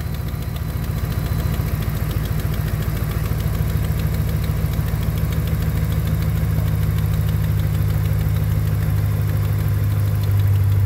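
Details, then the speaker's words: 2009 Ram 1500 Hemi at idle: quick, sharp ticking about three per second over a low rumble from an exhaust manifold leak; the cooling fan is not coming on. "you can hear that exhaust manifold leak though that thing sounds terrible"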